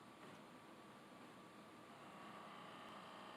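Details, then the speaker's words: Sony DVP-CX985V 400-disc DVD carousel player at power-up and open/close: thin steady motor whirr, faint tone near one kilohertz, carousel not moving or responding; worn slipping drive belts, fixed by replacing the belts. "it just sounds like the motor's running but nothing's happening with it and I try to open and close and I'm not getting it just doesn't respond"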